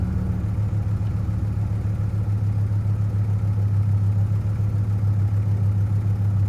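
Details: 2004 GMC Canyon with crank-no-start, no fuel and no spark, fixed by replacing the ignition switch: on the third try it catches and runs with a steady low drone, even beat, no misfire or stumble; runs normally.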